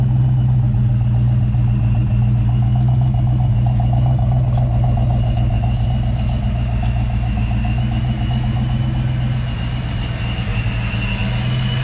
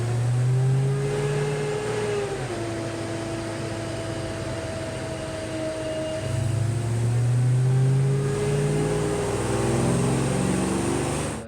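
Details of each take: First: 1993 Ford Mustang Fox body (Saleen SA10 chassis) idling with steady even rumble after replacing fan clutch, MSD coil and supercharger belt; previous fan roar gone, running normally. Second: 1993 Ford Mustang Saleen SA10-spec supercharged build, about 200 miles in, heavy-duty fan clutch: loud steady whooshing roar over the engine that swells with revs; the clutch won't break in and stays locked.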